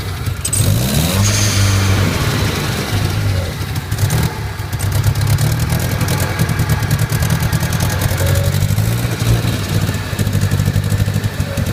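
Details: Nissan 200SX 1.8 turbo, two weeks after rebuild: engine idles unevenly, its low rumble wavering with occasional blips instead of holding a steady beat; cause unknown.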